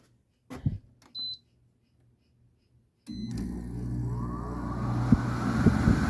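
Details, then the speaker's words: Air conditioner (the "modern nugget"), set to 73, fired up on a humid 80°F day: two short beeps, silence, then a sudden low hum that swells and roughens as the compressor kicks in; a harsh, angry compressor start-up. "a bit angry firing up that time."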